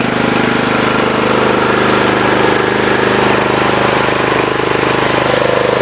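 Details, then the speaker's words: 1983 Snapper rear-engine rider mower re-powered with a new Briggs and Stratton engine on break-in oil, idling: steady single-cylinder chug with a smooth beat and no knocks or misses; runs perfectly. "wow this AB runs absolutely perfect"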